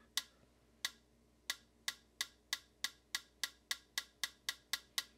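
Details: Vintage Heathkit TD-17 solid-state metronome on 18 V bench supply after swapping a failed 22 µF capacitor (measured 46.69 µF, high ESR): crisp, clean clicks about a second apart, quickening to four or five a second; ticking properly.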